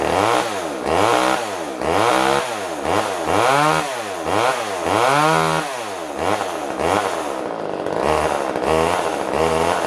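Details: Older Poulan Wood Shark chainsaw revs rise and fall about twice a second, never holding speed; runs only on choke siphoning fuel through the venturi, jet adjustment does nothing, owner suspects it needs a carb kit.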